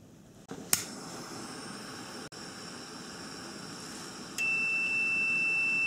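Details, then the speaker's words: Radiator cooling fan switch (normally switches on around 195°F), new switch heated with a mini torch: under the torch hiss, a faint relay-like click, then a continuous multimeter continuity tone as the switch closes, showing it works. "there you go there's your continuity and you can actually hear the switch when it turns on and off"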